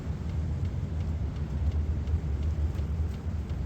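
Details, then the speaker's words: Vevor diesel heater restarting after shutdown, faint steady ticking about three times a second over a low rumble; the dosing fuel pump clicking normally at startup. "Yeah, I didn't think I'd be so happy to hear the ticking noise."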